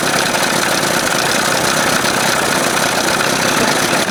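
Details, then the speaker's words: 1981 Evinrude 20 HP outboard, cold and not yet warmed up, timing within the marks, mixture screw about 1.5 turns out: loud buzzy exhaust that stumbles with a tip-tip bumping at idle. Possible exhaust leak suspected. Rough uneven idle. "I just don't like all that bumpity. You hearing it going tip, tip, tip, tip? Almost sounds like there's a freaking leak, exhaust leak or something."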